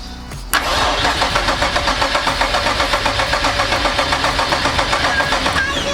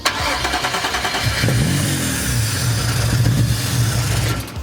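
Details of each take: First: Nissan 370Z swapped with a VR30 (Q60S) engine and a new Hellcat 525 fuel pump, after fuel-system wiring and relay work: steady starter churn about four beats per second, fuel smell but no catch. Crank, no start. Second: First start of a Nissan 370Z with a swapped VR30 (Q60S) engine after the fuel-system wiring was fixed: brief crank, then a steady, even idle with no knocks or misses; sounds healthy.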